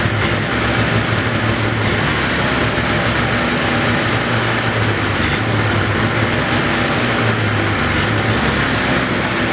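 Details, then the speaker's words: 1980 Ski-Doo Everest 500 fan-cooled two-stroke snowmobile, bottle-fed mixed gas; loud steady drone at even speed for ten seconds without misses or knocks. Sounds healthy; owner thinks the earlier compression reading was probably wrong. "so i'm gonna go on a limb and say that compression reading was probably wrong um i think sounds pretty good actually i mean it sounds healthy"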